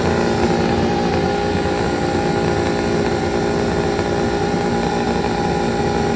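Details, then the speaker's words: Detroit Diesel 8V71 two-stroke V8 from an old tour bus, racks tied at full fuel: full runaway, a steady flat-out howl that won't back off. "okay so the racks are tied at full fuel she's in full-blown runaway mode as soon as it starts it's gonna go and the plan here is going to be to let it run away for about 60 seconds or so"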